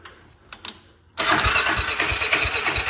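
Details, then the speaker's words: Honda 400EX engine swapped into a Polaris RZR 170, fresh oil and filter, first start with choke on and engine not yet bolted down: rough idle with a dull knock about three a second, suspected to be the starter clutch. "now you hear that knocker that's starter clutch huh beating around"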